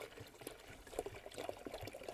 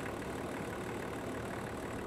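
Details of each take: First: Range Rover P38 diesel after coolant drain and refill with pressurized filling funnel, cranked on jump pack: irregular gurgles and spurts of air and coolant from the disconnected bleed hose as air works out of the cooling system. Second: Land Rover Range Rover P38 diesel, warm idle after coolant refill and bleeding: quiet, even idle with no knocks or hunting. Temperature gauge just below halfway, top hose hot; radiator working and cooling system holding.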